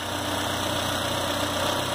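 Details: Citroën C4 hatch 2.0 after 50k service with heat exchanger and belt kit replacement, engine started after work, catches and settles into an even steady idle with smooth low hum, no knocks or ticks; normal idle.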